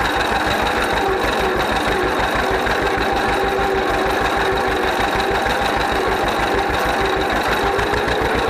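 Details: 1931 John Deere GP two-cylinder tractor, first run after carburetor repair. Even, loping putt-putt at about three beats a second, no misses or knocks; healthy idle, smokes a little.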